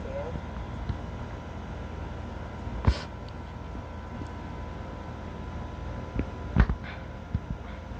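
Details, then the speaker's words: 2001 Trane XE1000 5-ton heat pump outdoor unit: steady low hum with a few dull clunks as it switches, a brief normal defrost cycle after shutting off and hissing. "Yep, it's defrosting. I can I think I can actually hear the ice melting. brief defrost cycle. Very brief defrost cycle."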